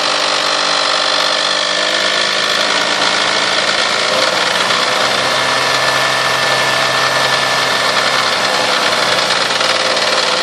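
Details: 1998 Toyota Sienna revving 2000–4000 rpm: busy, hissy mechanical rasp over a steady engine, heard strongest from the manifold and beneath; car otherwise runs great, cause unknown.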